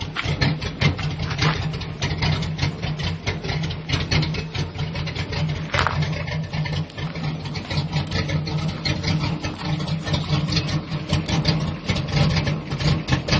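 Uneven, loping idle with irregular low pulses and stumbles in the exhaust beat; engine runs rough, cause not evident.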